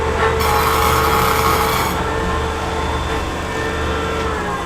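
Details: Diesel injection pump on the test bench after service for a stuck plunger caused by running low on diesel: steady, even hum with a constant high hiss and no knocks or surging, with full pressure restored.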